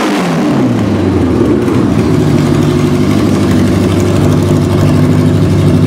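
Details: 1986 Honda Goldwing Aspencade bobber build with new timing belts, after sitting for years with carbs not gone through, Seafoam added: quick crank, catches at once, loud steady burble from the open exhaust settling to a smooth idle; normal start and idle.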